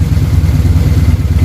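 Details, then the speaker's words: V-twin motorcycle (Harley-Davidson) idling after carburetor synchronization, air box off, Sea Foam in fuel: deep, lumpy loping idle with a few light pops; carbs balanced, engine sounds healthy. "But the idle sounds really good now. Yeah, those are pretty dialed in at this point."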